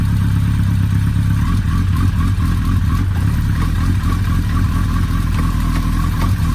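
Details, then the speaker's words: Suzuki Hayabusa after repair of loose clutch pressure plate screw that freed a spring, running: deep steady throb with light mechanical clatter, no knocks or scraping, no leaks; repaired and running normally. "tout s'est bien passé le remontage nickel il n'y a pas de fuite tous répondent correctement donc on peut dire que c'est réparé"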